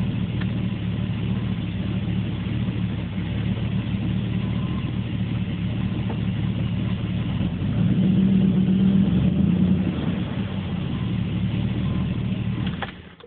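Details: Warm 1980 Corvette TPI after a drive, running clean about 15 seconds after a hard start: idle keeps jumping between 500 and 1000 rpm every few seconds; hunting idle, cause not identified.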